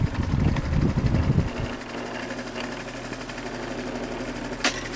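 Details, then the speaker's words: Fan motor spinning up: rough scratching settling into a faint rhythmic rub; owner suspects excess play lets motor push on back of casing, rubbing the bearing, possibly from prior bad disassembly; motor not yet opened. "but what's happening there when you hear that scratching noise when the fan gets up to speed a bit, motor's actually pushing on the back of the case, the motor casing."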